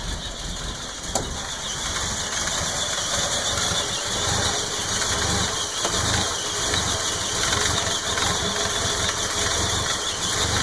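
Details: 4.9L engine that failed on the way home in summer, suspected carburetor fault: idle loping unevenly, about eighty irregular pulses a minute over hissy intake sound; rough idle, carb to be rebuilt, cause unconfirmed.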